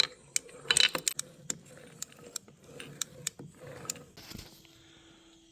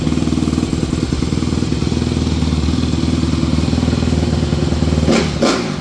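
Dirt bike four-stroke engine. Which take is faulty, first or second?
first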